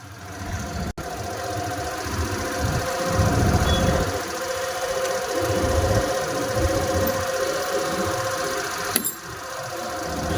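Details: Suzuki Access 125 BS6 scooter after idle adjustment screw set and locked nut, started without throttle: low steady putter about four beats a second, no shaking or hunting; smooth, even normal idle.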